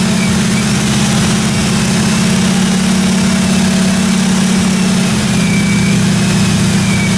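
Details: 1957 Chevy 210 project car, carbureted engine idling during roughly 20-minute cam break-in run: steady, even idle, smooth low drone, no ticking or knocking from the valve train; normal idle.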